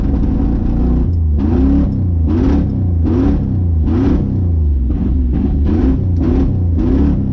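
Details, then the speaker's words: 1980 Ford Bronco just started after 18 months sitting, carburetor primed: deep rumbling idle with heavy regular lope surging about every half second; owner suspects stuck choke, possibly stuck float. "lives I think the choke stuck on it"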